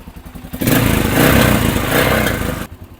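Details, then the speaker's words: Yamaha XT500 single-cylinder fitted with new Mibu Tech replica 1976 exhaust header: deep thump rises with a throttle blip and drops back cleanly, no rattle or buzz; healthy exhaust note. "is okay guys don't know if you see the smile on my face and I don't know if you can explain my wife that that sound is worth $3,100 it's amazing"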